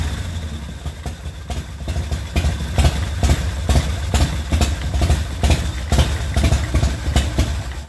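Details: 2004 custom Harley-Davidson V-twin, bought as a non-runner, running after a primary chain gear refit with Permatex and a set screw: steady, lopey thumping at about two beats per second, even and unbroken; idles cleanly.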